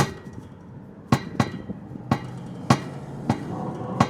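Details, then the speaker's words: Toyota FJ Cruiser on Shafer Trail, Moab, engine off: sharp, uneven metallic thuds about once a second as the exhaust pipe knocks against the frame. Fix considered: bend the hangers lower or add rubber padding. "Good news, guys, I found the culprit of the thudding sound. It was the exhaust."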